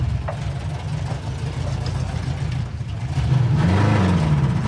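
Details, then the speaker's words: '56 Chevy 210 ex-NHRA car on first drive after revival: uneven, lumpy low engine note with wavering revs that sag and recover; runs terribly, cause unknown, maybe needs warm-up or bad gas in the carburetor. "why do it run so terrible I don't know"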